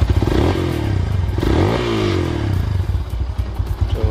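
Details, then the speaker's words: Yamaha SZ single-cylinder after disabling the air-injection system (EIS) on intake and exhaust side to cure backfire: pulls through a couple of blips with even beat, no pops or bangs on overrun; backfire gone. "So kahit tinanggal natin walang [Musika] problema so wala ng backfire"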